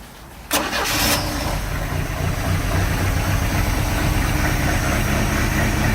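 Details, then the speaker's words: 1986 Sea Ray boat engine running with water on, after the earlier noise was resolved. It catches and settles into an uneven, lumpy idle with irregular pulses: a rough idle, cause not yet found; compression check next. "so now what I'm dealing with is the high is the rough idle"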